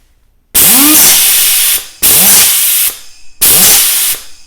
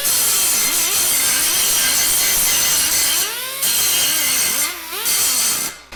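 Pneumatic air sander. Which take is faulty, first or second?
first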